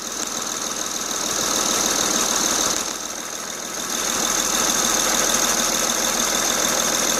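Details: Honda Ridgeline 3.5 L at idle with the accessory belt off: steady quick ticking knock, about three per second, not stopping when each coil pack is disconnected, so not one cylinder; source unknown.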